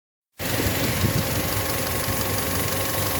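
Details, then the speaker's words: Skoda Rapid at idle: a thin, constant high squeal rides over the steady engine hum; the alternator belt slips. The noise stopped with the idler roller removed, and the belt was later tightened. "такой вот свист ремня идет."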